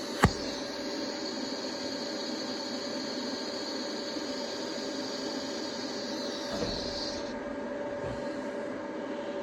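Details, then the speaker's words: TIG welding cast iron block plane with Easy Weld no-preheat filler, after regrinding a dipped tungsten: even arc hiss with constant high buzz, no crackle or sputter; smooth arc, sounded better. "Well, that sounded better."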